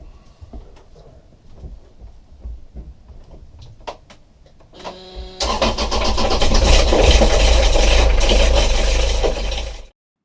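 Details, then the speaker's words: Sailboat's Kubota diesel, installed five years earlier, cranks and runs with a harsh, uneven metallic rattling knock, as if something is caught and thrown. A loose gear in the timing system is suspected but unconfirmed, and a teardown is planned. "it sounds like - no gear something maybe something came loose in the timing system"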